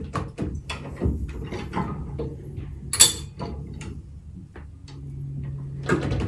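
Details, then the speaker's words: High-lift jack on the Hamer bullbar of a 2-inch-lifted Ford Ranger, lifting the wheel: sharp separate clicks as the handle is pumped, one per notch, with handling noise between; normal ratchet clicking. "you're gonna hear the clicking noise every time it climbs up so"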